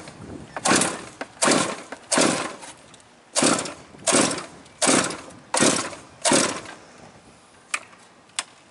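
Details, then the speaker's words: Quarter-scale GT40 with a liquid-cooled marine engine, restarting after driving through a rain puddle: repeated short cranking bursts that never catch. Hard start; owner suspects it took in water or has too much in it. "Oh, I heard it. I heard it try. It might have just a little too much in it."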